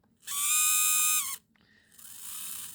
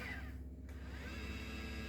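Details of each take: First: I noticed that the motor on the um how can I say the tilt is making a really loud noise. So when you go left and right, that seems to be also quite loud, but not as loud as the up and down, which is you can hear that there. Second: Celestron NexStar 4SE mount, whose altitude motor was loud before a full strip-down, now on a 12V 2A power supply: a soft, even low hum with a faint steady whir and no grinding. It runs smooth after the fix.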